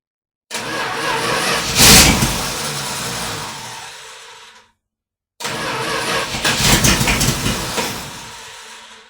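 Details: 1978 Dodge Power Wagon, started after an oil change, weak battery with a jump box connected: two strong cranking bursts of about four seconds each, then the engine fires and catches; a normal start.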